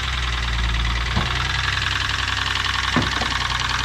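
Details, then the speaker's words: 2006 Lexus IS 250 petrol V6, towed in after ticking then knocking, check engine light on: idles with a rapid, hard knocking, seemingly from one side of the engine; old oil suspected. "he came back in the tow truck with his engine knocking engine was knocking like crazy"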